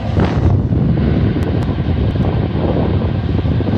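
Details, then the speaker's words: 2008 Ford F-150 5.4L V8 Triton after replacing the heater/AC blower fan motor (part x11 941 one, made in China): steady even rush of air, no ticking, rubbing or squeal; blower working perfectly. "working perfectly there you go I went to two or three autos places and got quotes and the lowest one I got to change that fan blower was five hundred and fifty dollars"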